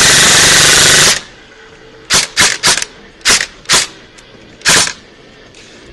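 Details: Echo1 Troy airsoft gearbox after installing a 16:1 speed gear set, reshimmed to one shim, stock motor, brick LiPo: rapid, crisp full-auto bursts with clean stops. Normal operation under a hard stress test.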